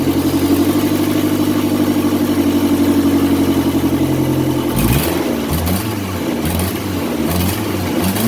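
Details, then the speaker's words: 2002 Kia Sportage after valve cover gasket and spark plug change for a misfire, exhaust pipe not yet installed; rough puffy idle with sharp chuffing that grows with revs: multiple exhaust leaks. "I don't have my exhaust pipe installed yet. And well, as you can hear, even with a hose hooked up, still wouldn't have mattered as many exhaust leaks as it got."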